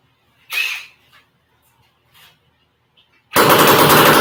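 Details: Horizontal Minarelli two-stroke with no expansion chamber fitted yet (an '85 stock pipe is planned): a few sharp pops, then it catches and rattles out loud, harsh and raspy through the open exhaust.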